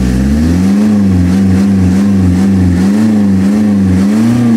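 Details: Mazda Bongo R2 diesel just after its injection pump was converted from electronic to manual: it catches and settles into a firm, even rumble with light revving, no misses or knocks, running healthy.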